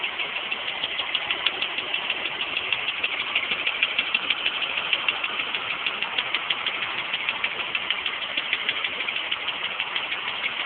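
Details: 1989 BMW E34 with M20B20 engine, cold start: fast, sharp metallic ticking about three per second over engine hum at idle; loud cold-start tick, source undetermined.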